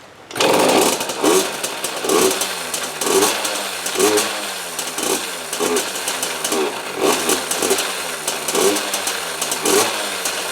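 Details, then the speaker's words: 2003 KTM 50 Mini Adventure 2-stroke with cleaned carb, fresh premix, oil injection blocked off: blipped about once a second, each rev rises then sags and dies, fuel-starved bog, won't stay running; cause suspected, not confirmed. "Doesn't want to stay running though. [Music] Still sounds like it's starving for fuel."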